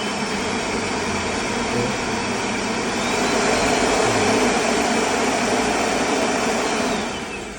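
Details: Vacuum cleaner after replacing its motor with a new one of the same type, brush connector wires reconnected: strong steady motor roar at constant speed, winding down at switch-off, no grinding or rattle; repair successful, normal running.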